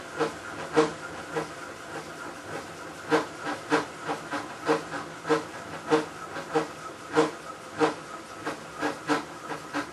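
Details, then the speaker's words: Maytag Centennial commercial washer, just over a year old and overloaded for the demo, agitating the rinse water: sharp rhythmic clacks about every 0.6 s, estimated at 100-110 dB, like a cement mixer. The source inside the washer is unknown. "I'd say the level is 100 decibels maybe 110 when all that noise is going on is deafening"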